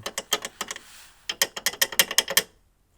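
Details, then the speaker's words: Audi A6 C5 2.5 turbodiesel front bumper: sharp tinny metallic clinks in bursts from loose metal mounting cups rattling against the bumper reinforcement; one bolt missing, one loose with stripped thread, plastic nut torn out. "дзвеніло через то що тут у нас Отакі втулки і коли Тут взагалі не було болта а там він не затягнутий був Тому що там не було різьби вже і оці металічні чашечки вони просто по цьому підси підсилювачу"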